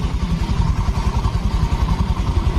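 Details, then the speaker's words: Honda Vario FI scooter after engine rebuild (destroyed piston replaced): steady even low idle putter, no knocking or tapping; sound soft again, exhaust no longer smoking, no noise, engine normal. "ya suaranya sudah lembut kembali sudah normal nih suaranya dan di bagian knalpot sudah tidak berasap suaranya sudah tidak Berisik"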